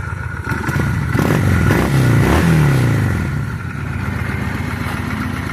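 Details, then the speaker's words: 2000 Honda Shadow 600 V-twin, about 43,000 miles. Revs blip up and drop back with a rough, uneven pickup, hesitating as they climb. Carburetor suspected to need cleaning, not confirmed. Throttle hesitation on revving. "yeah a little hesitation there I think that's just the car needs to be cleaned out"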